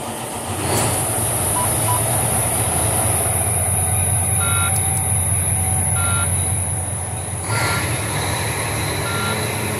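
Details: Volvo VNL truck with Cummins ISX diesel after fitting a new starter, replacing one that only clicked: engine catches at once and settles into a steady, even idle, thin whistle as air pressure builds; healthy start.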